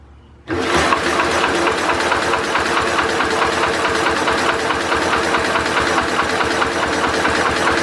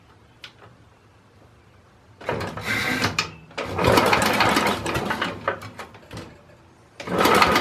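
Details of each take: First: Simplicity Landlord 2010 tractor engine after timing fix and flywheel key replacement; starter cranks steadily at about four turns a second but won't start. No spark, traced to a stripped cable that was reconnected together. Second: 2010 Simplicity Landlord tractor after timing fix and new flywheel key, starter bumped over to check the key won't shear again: three brisk, even cranking bursts, no clunk or slipping; normal starter cranking.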